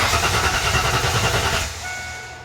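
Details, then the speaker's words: Mustang cranked with a fuel pump circuit connector unplugged during fuel pump wiring tests; it cranks briefly but never fires or settles into an idle; points to a fuel delivery problem, not confirmed. "well the car is definitely not starting now so I'm going to plug that connector back in and try this test again"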